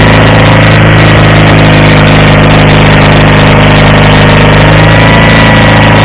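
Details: Approx. 1976 Sears GT18 tractor, Onan 18 HP, after carburetor cleaning and fuel pump rebuild, air cleaner off, choke off after a choked start. An even, steady idle beat with no misses or knocks, normal idle.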